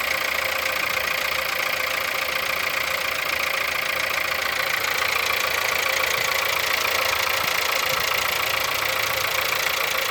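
Steady cold idle with a quick, fairly even tapping, roughly three or four knocks a second, coming from inside the engine; knock of unknown origin.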